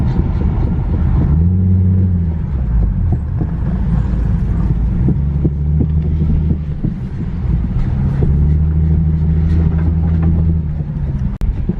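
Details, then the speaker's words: Infiniti G37S driver-side wheel while driving: deep pulsing drone rising and falling with road speed, getting louder, feels like wheels about to fall off; owner suspects wheel bearing, unconfirmed. "definitely this is not the sound sounds all right no it's getting louder not the sound you want"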